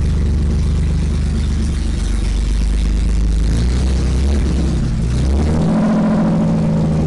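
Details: BMW E30 with swapped M30 six, first start after engine sat disassembled two years, exhaust ending at manifold downpipe: loud open rumble revs then settles into a steady, even 800 rpm idle, no knocks or misfires; healthy.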